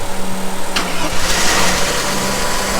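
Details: Mercedes 300CE W124 start attempt: short crank, then the engine catches and settles into a steady, even idle hum with no stumbling; it starts and runs normally.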